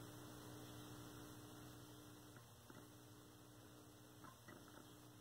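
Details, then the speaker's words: 1932 Aztec cathedral tube radio after its short was cleared: a steady low, buzzy mains hum from the speaker while no heater voltage is found on the RF tubes, so the set powers up but gets no reception. "no heater voltage oh you hear that there's a hum from the speaker that's a good sign"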